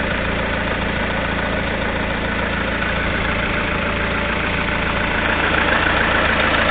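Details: Lada Kalina 1.6 16-valve at 2100 mileage: steady idle with a light, fairly regular tapping of about three or four per second over the engine hum; engine knock at idle, source unknown.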